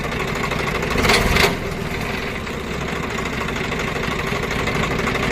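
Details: Swaraj 744 FE tractor diesel running with rotavator engaged after a stone jammed it: steady run, rough clunk on engagement and faint gear hum from the PTO (540) drive gearbox, worn shaft and bearing; gearbox opened for repair.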